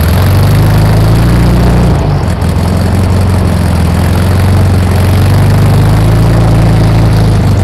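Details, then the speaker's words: 1964 VW Beetle flat-four after new distributor, cap and plug wires, with idle timing set: steady, even low chug with a smooth, regular beat and no misses or knocks, a normal clean idle. "idle timing set"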